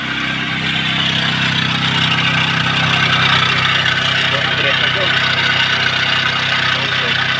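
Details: Chevrolet Optra/Lacetti/Forenza at idle: constant high whirring rasp over the engine from the accessory belt area; tensioner pulley bearing has play, noise gone with the serpentine belt removed.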